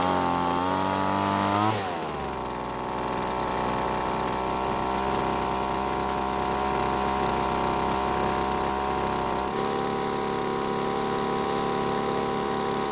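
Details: Poulan leaf blower small two-stroke after engine teardown and idle screw backed out; revs high, drops at two seconds to a steady even buzz and holds smooth, now running healthy.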